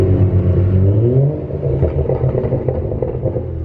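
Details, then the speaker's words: BMW 335i with new coil packs, while driving on stock (OEM) burble: a deep low rumble with soft gurgles and bubbles as the throttle lifts, no misfire stumble. Owner suspects an MHD map with harsh burbles caused the earlier issue. Normal overrun burble. "if anyone's curious what oem verbal sound like is what they kind of sound like you're still here i'm just a little girly it's more gurgles and bubbles sounds pretty good"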